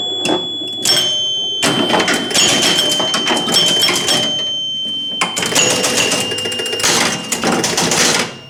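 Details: Rebuilt three-chime unit reinstalled in a 1974 Gottlieb Magnetron EM pinball during play: bright low, medium and high chime tones mixed with rattling clicks and scoring noise; clean and clear, working properly.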